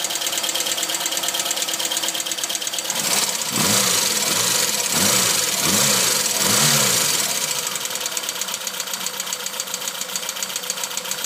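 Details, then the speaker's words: Tuned Opel Kadett B 1.2S OHV engine, higher compression, sharp camshaft, large valves, original carburettor refitted in place of the Weber: rapid ticking about three per second over a low uneven idle; valves suspected though lash is correct at 0.2 mm intake and exhaust; cause unclear. "jedenfalls jetzt di das Tickern das man hört dürften die Ventile sein aber warum jetzt ist das Spiel nor mal bei 0,2 und 0,2 mm respektive Einlass und Auslass gleich auf 02"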